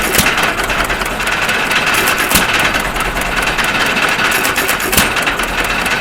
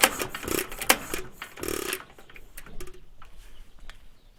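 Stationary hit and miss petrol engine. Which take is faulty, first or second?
second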